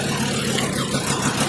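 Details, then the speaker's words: 2012 Volkswagen Jetta 2.5-liter five-cylinder petrol engine idling unevenly with an irregular lumpy low pulse from a constant cylinder misfire, before coils are unplugged one by one to find the dead cylinder. "Okay, and here we are. We can see the skip engine is not happy."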